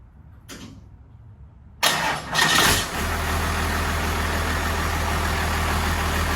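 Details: 1993 Cummins D350 chassis with 12-valve diesel and automatic, 1940 Chevy truck body, on a temporary exhaust pipe: short crank, catches, settles into a steady fast droning idle, too high; fixed by backing off the idle screw and adjusting the rod.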